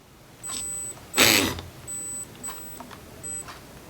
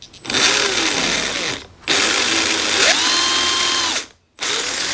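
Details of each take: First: RC brushed motor on a Hobbywing QuicRun ESC at very low throttle: short high-pitched beeping bursts instead of smooth running, likely from the ESC drive frequency setting. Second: RC brushed motor on a newly installed Hobbywing QuicRun ESC, external BEC: clean rising whine, steady pitch, stops, then runs in reverse; forward and reverse both work normally.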